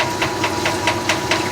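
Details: 1989 Maytag Orbital Fabric-Matic washer with a large load of colors: sharp knocks four or five times a second over a low hum as the tub accelerates into spin; knocking during spin-up.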